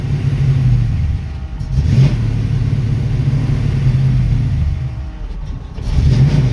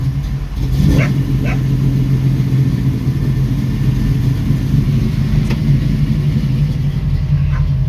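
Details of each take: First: 1966 Mustang with a Holley 650 double-pumper carb, in neutral: the V8 rumble surges with each throttle pump and dies once off the gas. The idle screw doesn't help; fixed by adjusting the carb's transfer slot. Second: 1966 Mustang, Holley 650 double pumper carb, cold and a little cold-blooded, after the transfer slot adjustment: a low, steady idle rumble holds evenly with no stumbling or dying, where before it would not idle without gas; brief dog bark early on.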